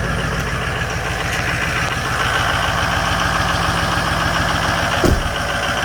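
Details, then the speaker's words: Ford F250 with 6.0 Powerstroke diesel, cold start in winter after sitting three weeks: fired right up after a slightly slow start into an even, steady clatter with a smooth rhythm, no misses or knocks; healthy cold idle. "That was a little slow, but that sounded good. Just fired right up."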